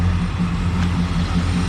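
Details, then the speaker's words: V8 (possibly a 350) with Holley carb, different intake manifold and stock exhaust, idling with a steady, even low rumble and no knocks or misses; normal idle, running well. "and honestly you could leave it just as is if you wanted to because it's running it's running well everything works everything's here"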